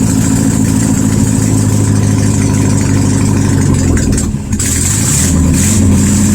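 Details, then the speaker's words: 1972 VW Super Beetle air-cooled flat-four, no exhaust fitted, 51°F, after starter and ignition work: loud open-pipe uneven chugging with sag, won't hold idle without throttle. "So it's still not running at idle, and it's really loud. You can tell because I have no exhaust on it, so that's why it is loud."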